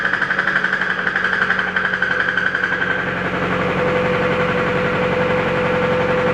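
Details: 2014 Jeep Patriot with 14k miles idling with a heavy regular rod knock about four beats a second, after a quick oil change service left the oil filter loose.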